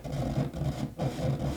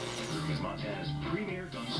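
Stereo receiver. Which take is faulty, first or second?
first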